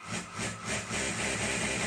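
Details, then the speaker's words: Sewing machine after repair: steady, even motor hum with no rattle, knock or buzz; the noise it made before is completely gone and it runs smoothly and quietly. "बिल्कुल भी आवा नहीं आही जो आवाज य आ रही थी व बिल्कुल चली गई"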